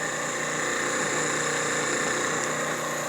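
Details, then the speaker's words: Stirling kit miniature turbojet model engine: steady loud hissing roar with constant high whistle, no surging or sputter; normal turbojet running. "Yeah, this is still going. You can hear a slight, hear a more aggressive tone when it's running."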